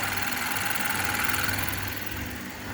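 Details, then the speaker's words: 2015 Kia Optima after cylinder 2 misfire repair (ignition coil and spark plug replaced), in cabin: steady petrol idle with even low pulse, no stumble, skip or vibration; running smoothly, normal idle. "अल्हम्दुलिल्लाह, गाड़ी के अंदर कोई वाइब्रेशन नहीं है।"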